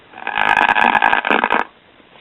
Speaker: we're tuned to an FM stereo broadcast let's bring the left volume up as you can hear very started audio